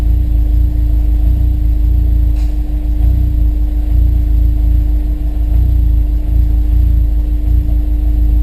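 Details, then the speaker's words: Honda S2000 with new spark plugs, warming up at idle while parked: steady hum broken by an occasional sharp pop, an intermittent misfire. "está calentando a ralentí, pero sigue habiendo petardazos de vez en cuando."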